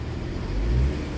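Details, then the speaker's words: Nissan Maxima after repair, misfires that had set no codes now resolved: low even engine note rising smoothly with a light rev and falling back, no stumbles; normal running on all cylinders. "Back at the vehicle, the misfires are completely resolved, and been I want to say, the HVAC module."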